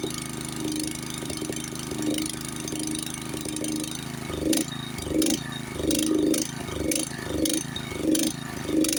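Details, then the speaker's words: Honda snowblower, nut at the elbow-to-carburetor connection deliberately loosened: engine hunts up and down about every 0.7 seconds; surging from intake air leak. "you see how I created that artificial leak there by loosening up this nut the connection of course your your connection between the elbow and the and the carburetor with it created an air leak right there and that's why it's surging again"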